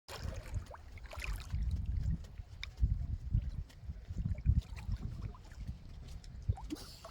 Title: Why is our anchor making noise?